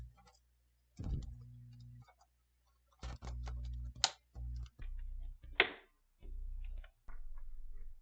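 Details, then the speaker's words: PS5 Blu-ray disc drive that wouldn't accept or eject discs, on the workbench: short motor whir bursts with clicks as it takes the disc in, hesitating once, after the lever was moved down; normal disc loading. "we have action as you can see it took in the disc it struggled just a tad bit but me moving that lever down seemed to have got it working"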